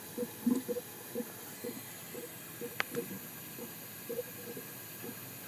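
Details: 2004 Ford Powerstroke diesel with wavy oil rail and old-style pump: irregular soft gurgling bursts about twice a second over a quiet hiss, air bubbling through leaking standpipes/dummy plugs in the high-pressure oil system; high-pressure pump possibly also needed.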